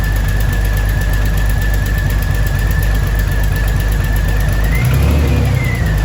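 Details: 2000 Jeep Cherokee Sport XJ first start after a new head gasket, thermostat and housing, and valve cover and manifold gaskets (old gasket failed, overheating): steady low idle with an uneven, lumpy beat and a brief rev blip; rough idle, cause still to be figured out.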